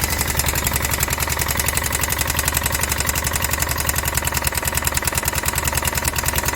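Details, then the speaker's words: Kawasaki Prairie 360 4x4 ATV, damaged project machine; steady single-cylinder idle with hard regular knock on every firing stroke, about 86 a minute, bad crank suspected, not confirmed. "all right well hop to dig into a further find out it still got some kind of a knock in it but prey is the crank"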